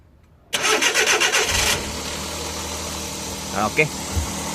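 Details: Suzuki K6A DA64V after repairing a broken exhaust valve (had misfired and shaken, cylinder 3 compression about 100): brief cranking, then catches and settles into a steady, even idle with no misses or ticks; slight smoke, thermostat removed.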